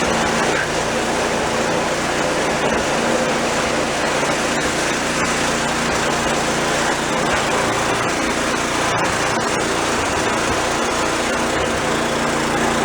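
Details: Old snowblower small engine after drive cable/spring repair, function test: loud steady constant-speed running with no stumbles or surging; runs healthy, only brake needs adjusting.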